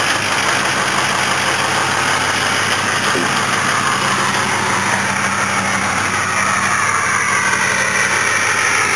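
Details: Ford 6.0 PowerStroke diesel truck that sits through winter, cold start: raised steady idle with faint whine on top; normal cold-start high idle.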